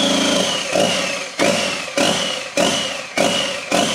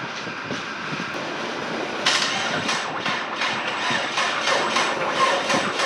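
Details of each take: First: Worlds-first EcoBoost-swapped RWD Ford Fusion, first start with the motor on a stand in the bay on factory harness, with oil in cylinders from flipping and throttle pedal codes: engine catches with surging bursts about every half second, settling to a rough but running idle. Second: EcoBoost engine swapped into a RWD Ford Fusion, first start on the factory harness: laboured, uneven cranking with heavy chugging beats about twice a second, turning over hard and never firing. Oil was in the cylinders from flipping the motor; the cause is unconfirmed.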